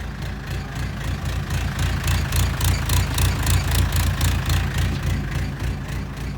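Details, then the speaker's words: Mustang skid steer diesel, cold start: chugging idle about three and a half beats a second, loudness swelling and dropping as it surges; runs fine after a minute or two, owner suspects fuel system, plans to pull and clean injectors. "when you first start it it runs kind of rough like surges"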